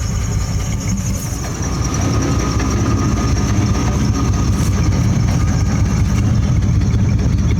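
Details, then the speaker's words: GMC Safari 4.3 L Vortec V6 at idle with code P0305 cylinder 5 misfire, before plug, cap, rotor and wire tune-up: low uneven rumble with an irregular stumble underneath. "as it runs for a while you can really kind of hear the Miss oh I can feel it"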